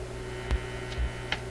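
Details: Zenith Y825 vacuum tube AM/FM radio during hum-and-buzz troubleshooting: steady low hum under the radio audio with faint ticks on top. Loud mains hum with a needed tube pulled out. Cause suspected, not confirmed.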